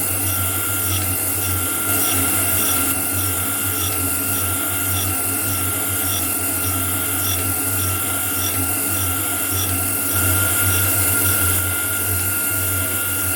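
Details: Homemade grinding attachment on a metal shaper, test grind with a dressed wheel on a shear tool: steady wheel hiss and light, even rasp as the ram cycles about 100 strokes a minute. A clean grinding pass with a good finish.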